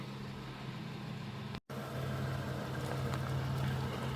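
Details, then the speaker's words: 1991 Dodge Grand Caravan SE, revived after sitting since 2003, about 100 miles driven since revival, freshly aligned: quiet, steady low rumble with even hum, no knocks or misses; smooth, healthy idle, purring like a kitten. "But she's sitting there purring like a kitten."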